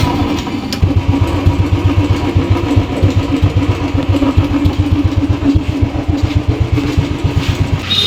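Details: Royal Enfield motorcycle single after repair of a tik-tik ticking noise: big single fires up and thumps evenly through the revs, no ticking from the top end; sounds healthy.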